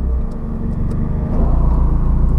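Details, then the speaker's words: Nissan Sentra B14 after replacing the AC compressor with a surplus unit, following a grinding, metal-rubbing noise suspected to be the compressor bearing: low, even engine rumble, no grinding left, and the engine and AC compressor run quietly; repaired. "Wala na kayo makarinig na parang nagagrinder. Right. So okay na mga kabiyahe. All goods."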